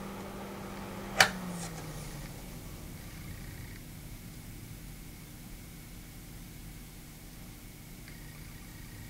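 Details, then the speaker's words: Noctua NF-P12 120mm fan spin-down after the power lead is disconnected: a sharp click, then the low hum drops in pitch and fades to near silence within a couple of seconds; a clean, normal spin-down. "thought you guys might want to see the spin down so I'm just going to disconnect the lead here"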